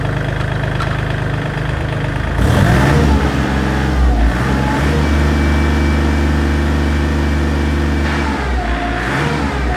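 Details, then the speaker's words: Kubota L3408 34 hp lightweight diesel tractor: cranks, catches cleanly and settles into an even, soft knocking idle with no misses or odd noises; normal diesel start and idle. "तर मित्रांनो तुम्हाला आता firing येत असेल ऐकायला, तुम्ही बघू शकता किती स्मूथ आणि सॉफ्ट आवाज आहे."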